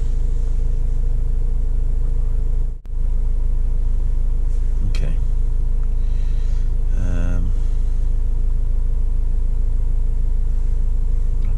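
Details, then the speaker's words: 2005 Vauxhall Vivaro 2.5 CDTI diesel after EGR valve repair: steady, smooth idle with no misses. Limp mode is gone, the turbo spools and there is no engine light, though stored P1400 and P1000 misfire codes remain with no misfire felt. "there's this p1000 alternative fuel miss engine misfire detected but it runs smoothly the engine there's no I can't can't feel any misfires at all so I'm going to ignore those um"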